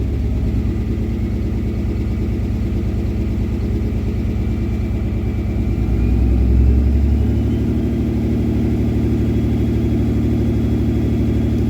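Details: Truck diesel at high idle with a rough, uneven loping beat of about three pulses a second; one cylinder's injector is stuck open, 3,000 miles from home, and a new injector had to be bought.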